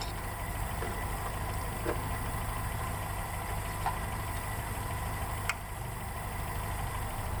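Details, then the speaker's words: Land Rover Series III, first start in 10 years, after repeated adjustment of badly worn ignition points: low, fairly even idle with faint occasional ticks over a steady rumble, running about as it should. "after fiddling around a bit more I got it running as it should kind of"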